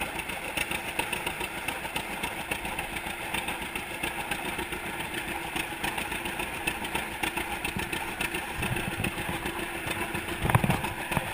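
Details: 1942 John Deere Unstyled A conversion, engine formerly stuck, on its first start after new spark plug wires (GoPro in waterproof case): quiet, loping two-cylinder putt-putt at low speed, firing steadily with no knocking; runs healthy.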